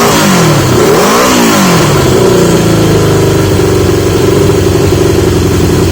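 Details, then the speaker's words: 1980 Yamaha XJ650 after fitting new (old) exhaust pipes; engine blips then settles into an even, smooth burble with no blowing, ticking or rattling; sounds much better, healthy running. "listen to that that doesn't sound like it's he's a should be living on a Speedway now that is so much better"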